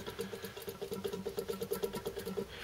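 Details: Stuart Turner water pump turned over unloaded: faint steady light knock about seven times a second, worse under running load; big end bearing failure, bearing replaced.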